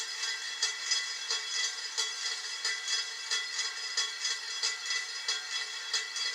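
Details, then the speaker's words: Beat-up Harbor Breeze Lansing 42-inch ceiling fan with warped blades, running on high: a light, tinny clicking rattle about 1.5 times a second, like something loose rolling inside the motor. Cause suspected, not confirmed. "Yeah, listen to that. The sound of that thing rolling in the motor. This is high speed anyway."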